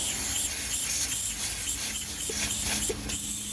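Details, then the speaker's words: 1991 Peterbilt 372 cab-over truck idling outside. Steady, high, airy hiss over a low idle rumble from a leaking air suspension valve. A rear maxi brake chamber also leaks, heard when the brakes are released, but the truck still holds enough air to drive. "So somewhere back there is a maxi leaking, but it holds enough air that I was able to drive it around the yard, so I didn't want to leave that out. The air suspension valve is leaking too."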